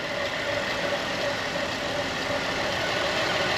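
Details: 2010 Buick Enclave CXL V6 with a quiet, smooth idle and faint steady whir, no stumble or hiss, after the leaking vacuum hose was replaced with a thicker hose with a heat-protective cover, curing the misfire.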